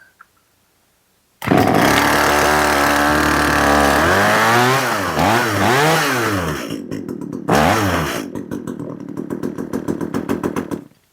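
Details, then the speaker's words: Echo CS 370 two-stroke chainsaw, chain sharpened, running outside: revs swoop up and down unevenly, then it stumbles and sputters and dies; carburetor won't respond to tuning, plastic limiter caps prevent proper adjustment. "and I can't get the carburetor to tune it's not responding it also has these plastic caps on it that are preventing me from adjusting it properly"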